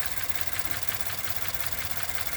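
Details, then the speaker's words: 2016 Ford F-150, about 20,733 miles, check engine light and rough-running complaint: petrol engine idling unevenly with a stumbling exhaust pulse over strong hiss, the tailpipe dollar bill test confirming a misfire; a tick is also heard. "we can verify that if the dollar bill wouldn't quit curling up on me here that the engine is running with a misfire"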